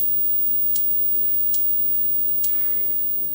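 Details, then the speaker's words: Acorn 28-AKF12 CRT monitor after new flyback fitted, on current limiter: sharp dry high-voltage clicks about every second over faint whine, screen very bright even at minimum brightness; suspected shorting or arcing somewhere, cause not found. "it's doing some clicky noise high voltage clicking noise it sounds as like there's some bridging somewhere"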